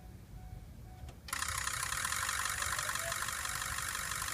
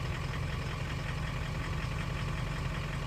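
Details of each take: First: 2003 Ford 6.0 Powerstroke diesel with injector stiction, about a month after Rev-X treatment: quiet, then immediate catch into steady crisp clatter settling evenly; injector pre-clatter, cold morning starts much improved. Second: 2003 Ford 6.0 Powerstroke diesel, scan tool enhanced mode giving every injector equal fuel, light throttle: low lumpy uneven rumble; cylinders two, three, five and eight contributing weakly from sticking or worn injectors.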